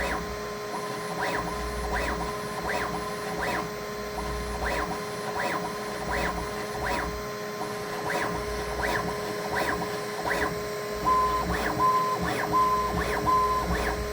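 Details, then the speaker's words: Brand-new Bambu Lab A1 Mini 3D printer during first setup, audio boosted 15 dB: quiet motor hum with soft evenly spaced whirring pulses as it runs motor noise-cancellation calibration; normal. "if you listen closely you can hear the difference in the sound as it figures out how to cancel out that noise in the motors and everything else"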